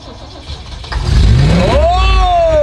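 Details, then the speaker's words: 1962 Lincoln Continental V8, one-owner original car stored for years, died suddenly on its first drive around the block: starter cranks briefly, then the engine catches and settles into a rising, steady idle on restart. "so it just died all of a sudden my dad just pulled back I'm about to hop in so this isn't a good sign"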